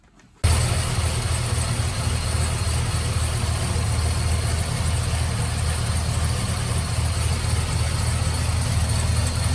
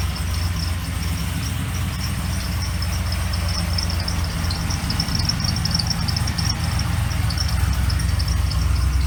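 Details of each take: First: Trailblazer SS with supercharged LSA on an LS2 V8, after a new Continental Elite quiet serpentine belt cured a belt chirp: steady, even idle with a deep rumble and no chirp or squeal; only header, cam, rocker and possible coil pack noise remain. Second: Trailblazer SS with supercharged LSA-swapped LS2 idling, a rapid high bird-like chirp about four times a second from the belt drive, worsening as it runs; chirp disappears with belt removed, pointing to pulley dirt or the serpentine belt.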